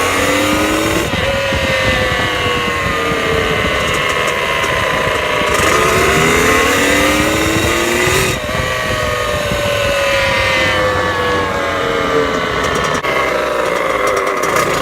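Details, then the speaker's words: Dirt bike with new clutch basket, steels and friction plates, new 52-tooth rear sprocket and gapped plug makes a thin whining tone after each rev; owner also notes foot vibration when clutch pulled in after upshifting; cause unknown. "the bike's been making this weird noise and it's like I rev it and it'll like make a whining noise after word it's"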